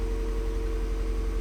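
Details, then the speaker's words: Mazda Miata just fired up cold after reinstalling stock exhaust headers: steady, even, slightly high-rpm idle, no misses or knocks, no check engine light; normal cold-start fast idle. "okay we're gonna fire up seems to be doing just fine a little high on the RPMs but it was a cold start so"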